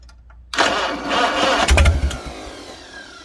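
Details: 1955 Farmall 300 Row Crop tractor after carburetor rebuild with new float, needle possibly sticking: catches after brief crank and settles into steady even running beat without stumble; starts and runs normally.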